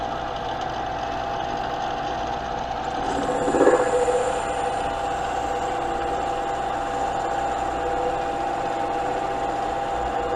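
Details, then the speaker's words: Smithy lathe/mill/drill combo, first pass on a 1¼-inch workpiece at about 600 RPM without the compound slide: steady motor hum, then a ringing, buzzy vibration sets in as the cut starts and lingers. Tool chatter, cause unknown. "in all right we started to get some chatter there couldn't tell you why"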